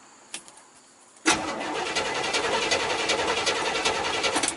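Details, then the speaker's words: 1979 Chevy square body 3/4 ton with 350 engine, sat about 23 years, key turned: a few clicks then starter spins engine evenly, about two and a half beats per second, without catching; normal cranking. "well it's a little rusty in the door probably but yeah that's pretty cool and it does uh turn over and"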